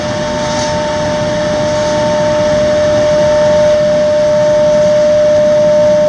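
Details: Xeikon 5000/6000 drum refinishing machine, recently repaired with new belts and gears: loud, steady bell-like ring at one pitch over rough sanding hiss as the aluminum drum sings mid-pass while fused toner is sanded off, normal.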